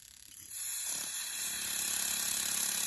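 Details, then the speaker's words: Jaguar XJ12 Coupe fuel injector removed from the rail and pulsed on a bench tester: a quick steady tick over a spray hiss. The spray started as a thin jet to one side, then evened out, so the injector is possibly gummed up. "Oh, there we go. We have liftoff. Started off as a thin point to one side and then it evened out, so maybe it was a bit gummed up."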